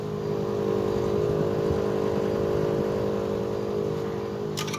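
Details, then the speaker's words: Outdoor inverter box of a three-year-old Bosch Climate 5000 split air conditioner, running on heat: steady droning hum with a mid-pitched tone over the quiet fan, plus felt vibration; abnormal running noise needing repair. "I can hear the fan that's quiet as another noise"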